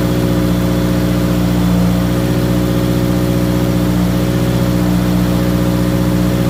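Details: Subaru WRX 2.0 after replacing all valve shims (previous owner reported driver-side ticking), idling to temperature in garage while bleeding coolant, rpm dropping; loud, steady, even open-exhaust idle with no valvetrain ticking; lifters now quiet.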